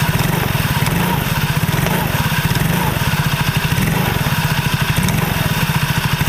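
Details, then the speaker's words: Soul GT automatic scooter with the rear gearbox cover open: a rapid rattly clunking over a low idle throb when throttle is first applied or reapplied, not once moving; final drive clunk. "gitu nah jadi suaranya seperti itu kurang lebihnya jadi kalau di gas itu bunyi trak bunyi tak kayak gitu Tapi ketika awal digas kalau udah jalan enggak"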